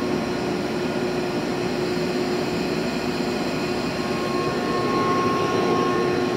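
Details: Used 2005 Boge 40 HP variable-speed-drive screw compressor, 480 V, 79,131 run hours, 1,909 loaded hours, at max rpm building pressure, about 68–70 dBA: loud steady roar with fixed mid-pitch tone and faint higher whine, smooth and even; normal full-speed running.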